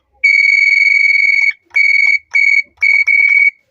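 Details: Revaa cordless doorbell with low-volume fault, after speaker replaced: loud, clean high-pitched chime, one long note then four short bursts, strong and undistorted; faulty speaker caused the low sound.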